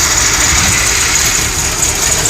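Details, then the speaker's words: VW Jetta with an exhaust leak, new plugs, wires, cap and rotor: loud, hissy rough idle with an uneven, lumpy beat and no steady rhythm, then it dies out; misfire at idle, cause uncertain. "all right good Idol this time you can hear the exhaust you can hear the misfire and then boom dies out"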